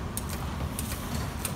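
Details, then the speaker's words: 1974 Chevrolet C10 replacement mechanical windshield washer pump, after repair: cam turns and piston snaps, quick slightly uneven ticking over a low idle rumble; normal washer pump operation. "so what you're hearing in there is this cam goes around ka tank ka tank katenk you're hearing that and then as it goes this piston right there does its thing snap"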